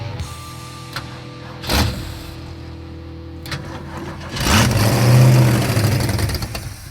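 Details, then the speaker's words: Roadkill car on Power Tour keeps stalling after start: engine cranks, catches, revs briefly, then sags and dies, won't hold idle; suspected vacuum leak, later found huge vacuum leaks, a disconnected line and a fallen-out idle emulsion adjustment screw. "still wants to just keep dying like that does it have a vacuum leak somewhere kind of sounds like it does"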